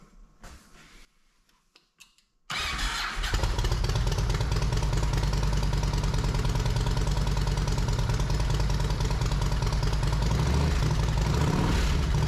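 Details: Yamaha Road Star Silverado 1700 V-twin after fitting new OEM ignition coils, plug caps, wires and spark plugs: clicks, then catches and settles to an even idle on choke while slightly cold, no misses; normal idle.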